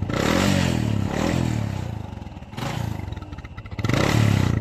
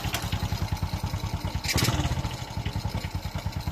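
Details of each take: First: Honda XRM 125 single-cylinder constantly losing oil with heavy white smoke: revved in uneven ragged, clattery bursts with rough exhaust; oil burning in combustion chamber from worn piston rings and scored cylinder liner, oily black canister. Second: Honda XRM 125 single-cylinder, over 13 years in service, idling after rebore that cured heavy white smoke: even steady pop-pop idle, no misses or knocking, no smoke left; residual smoke would be exhaust-pipe oil.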